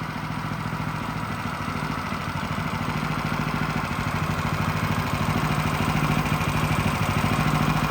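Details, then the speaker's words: Rebuilt water-damaged engine from a Champion 100326-1 log splitter, started first pull, warming up: regular, even beat firming slightly, no misfires, knocks or smoke; normal running after rebuild. "Well, I'm happy to report this engine runs quite well. You know, it started first pull. The engine sounds good and the smoking issue is non-existent."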